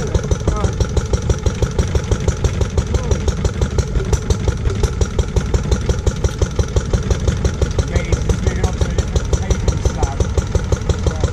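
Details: Restored Lister D petrol single-cylinder engine (trolley-mounted with an air compressor), first start after 20+ years: a steady, even thump about three times a second with no misses or knocks, running sound.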